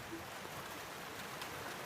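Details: 3000-volt overhead power line: steady fizzing sizzle with fine crackles like light rain and no rhythm; ordinary corona discharge from the line.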